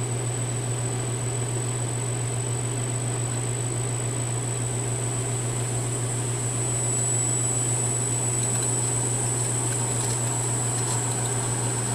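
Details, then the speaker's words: A ½ HP three-phase motor on a VFD holds full speed (60 Hz) in reverse on a test run. It gives a smooth, even low hum with only a faint whine, and a furnace rumbles behind. The owner notes a little noise but it feels smooth and sounds healthy. "and that's full-speed there that 60 Hertz so feels really smooth there's a little not sure if you can hear it over the furnace but there's a little bit of noise there"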